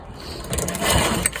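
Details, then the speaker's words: Motor-assist tandem trike moped, cold start, choked, pull start with the clutch up: only the rattle and whir of the engine turning over, no firing at all. Owner may need to prime it. Cranking no-start, fuel starvation. "No sputs yet. I might have to wet its whistle."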